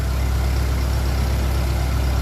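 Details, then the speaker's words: 1957 Ferguson 35 TVO tractor engine after valve clearances reset and offending push rod removed, warming up: deep, steady, even idle with no tappet tapping; smooth, healthy tickover. "That sounds very good now. Bit more rev. It's warming up. Stay sounding like that."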